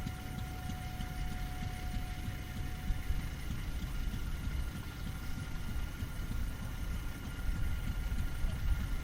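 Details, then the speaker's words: Pulling unit engine on an oil well running in rods, probably fed gasoline to start. Low, steady, even chugging beat over a constant background rumble. Sounds like it's running okay; normal running. "Engine sounds like it's running okay."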